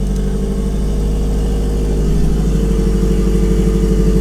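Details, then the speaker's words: Turbo car at first start: steady, even idle with a smooth low drone and no misses, knocks or hunting, idling well. "So as you can hear, it's idling pretty good, and I couldn't be more happy."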